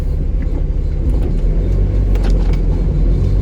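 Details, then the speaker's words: Mazda Miata right after installing a Flyin' Miata muffler, low-speed driveway test drive: deep throaty rumble with irregular light metallic rattling coming and going; cause suspected, not confirmed. "um but unfortunately I didn't even make it to the end of my driveway before it was pretty clear that something was wrong there was that really weird metallic"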